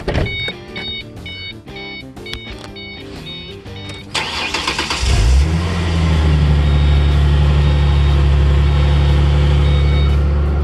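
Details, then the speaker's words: Ford Mustang 4.0 V6, cold start in the 30s °F after taping a broken X-pipe section whose hanger weld failed; cranks briefly, settles into a steady, deep, even idle with no ticking or leaks: normal exhaust idle. "so far it sounds okay so let's see what it sounds like on the highway and hopefully it lasts with it being this cold"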